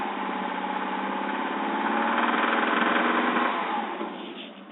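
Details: Subaru engine, low oil pressure at warm idle, pulling under load around 2500 RPM, the only time the sound occurs: a steady, fast knock about three or four a second; owner fears a rod bearing, or possibly piston slap.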